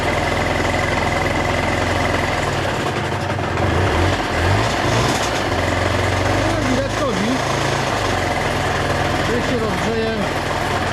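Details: KSR Moto with AM6 50cc two-stroke, reassembled and warming up: idles with a busy, rattly mechanical noise under the exhaust buzz; the mechanic says the engine is really noisy and suspects the bearings need work, unconfirmed.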